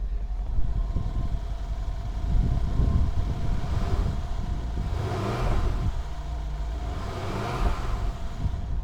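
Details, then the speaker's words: Mercedes CLS63 AMG Brabus Rocket 800 V8 at a Copart lot, just started, microphone held toward the exhaust: deep smooth burble with small swells and no knocks or rattles; healthy exhaust note at idle. "Oh, she's alive. And she sounds good."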